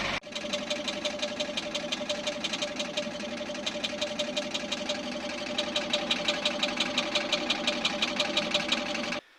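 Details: Subaru with automatic transmission at idle: rapid, regular metallic ticking knock over a steady hum, not the engine but a cracked AT drive plate (flexplate) crack running through a bolt hole; knock sometimes stopped; repair requires removing engine or transmission.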